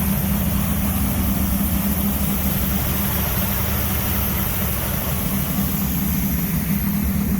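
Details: "Jezebel" V8 cold after fitting a new Mallory dual point Unilite distributor, warming up before the timing is set to about 34 degrees: a loud, lumpy rumble at a steady idle, firing evenly with no misfires or knocks; running properly.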